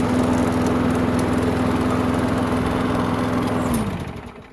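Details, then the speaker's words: Curbside Craftsman walk-behind mower that wouldn't start after hitting something, given fresh gas: a steady, even high-pitched drone for several seconds, then a clean wind-down at shutdown. It runs good; only the handle hardware needs tightening. "Runs good. Just need to tighten up some of the hardware on the handle, but other than that, give it a bath and send it on its way."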